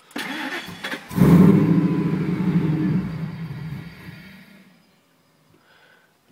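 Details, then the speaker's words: 2001 Ford SVT Lightning: cranks, catches and runs roughly about three seconds, then sags and dies as fuel pressure drops to zero; fuel filter, pumps, relays, IAC cleaning and stock MAF already tried. Starts then stalls, cause not found. "i try to blip the throttle sometimes it'll go ahead and sputter a couple more times sometimes it'll instantly stall that was a stall scenario"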